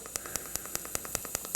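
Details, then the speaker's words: Arccaptain 200A AC/DC TIG welder, pulse TIG at 75 A, set to 5 pulses per second, flipped tungsten; steady arc hiss with crisp, evenly spaced pulses, running fairly quickly and working as set. "Oh, okay, so we're pulsing. Whoa, that's a little"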